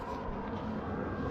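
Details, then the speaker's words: Volvo FH truck cab suspension, rechecked after a squeak was traced to a suspected cab shock absorber. Only a low, even diesel rumble as the cab moves, with no creak or squeak: no squeak now. "скрипа нету"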